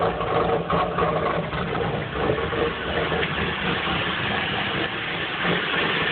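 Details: 1994 Chevrolet Camaro 3.4L V6, catalytic converter removed, idling around 1000 rpm and running rich with sooty injectors and smoke; lopey, stumbling, hunting idle like a cam, cause unknown.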